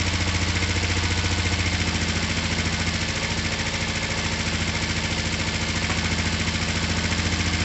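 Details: Finished, repaired twin motorcycle, oil just topped up, down pipes wiped so slightly smoky, started from the button: steady, even idle with regular firing beat, no misses or knocks; running cleanly.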